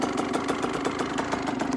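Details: Dirt bike being prepped for sale: slow, lumpy idle of about seven pops a second that sounds ready to stall; idle speed set too low. Cause suspected, not confirmed.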